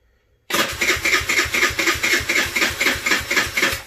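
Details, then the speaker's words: Tao Tao Racer CVT scooter with slipping transmission that stalls; starter turns about four even chugs a second but never catches, sluggish cranking; owner suspects a weak or dead battery, not confirmed. "is weak battery is dead this is I'm talking about I cannot depend on this bike in work because the battery"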